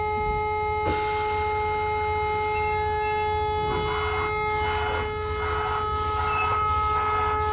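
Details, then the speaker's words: Dump truck drop axle sitting on the ground with no air pressure: under the idling truck, a constant loud hiss and steady whine/hum as air escapes from a blown-out lift air bag. "That's why the axle's on the ground like that, and we have that loud noise. Very, very loud noise. Can't hear it. Right here where my finger is where the lift bag is blown out."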